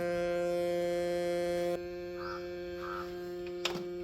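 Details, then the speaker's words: Home theatre woofer speaker with a constant low humming buzz at the same frequency that doesn't change with volume, louder at first then quieter; mains hum. "अगर आपके speaker में इस प्रकार से humming का noise आ रहा है यह सुनिए"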